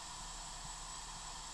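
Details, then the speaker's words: Eco6-10 balance charger charging 4S at 10 A (168 W), near its thermal cutoff: its cooling fan, modified to run directly off 17 V input instead of about 15 V, gives a constant airy hiss with a thin, even high tone. "But another thing that I modified is this fan is directly connected to the input voltage. So, this fan that uh originally ran at I think 15 volt uh is running at 17."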